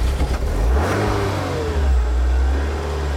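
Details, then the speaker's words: 1996 Toyota MR2 mk2 petrol barn-find restarted after storage: deep strong exhaust note swelling cleanly as throttle opens and settling without stumble; healthy engine revving freely. "Yes! It lives! It lives! They really built these things, didn't they?"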